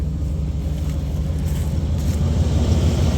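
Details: 1990 Chevy Silverado V8 rescued from scrapyard, fluids topped off, dual exhaust, at idle: low soft steady rumble with no knocks or ticks; quiet, healthy normal idle.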